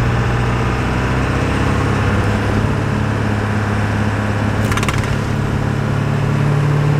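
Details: 2000 Ford F250 7.3 Powerstroke diesel on a test drive with the windows down, after replacing the front hub and bearing assembly: steady, deep drone while driving with some road and wind noise; the engine sounds healthy.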